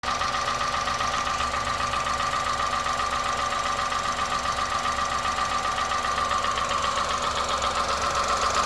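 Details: 2001 Honda Insight with 67k idling: light, fast steady tapping over an even hum. Tapping at idle has not worsened and goes away while driving; valves have already been adjusted.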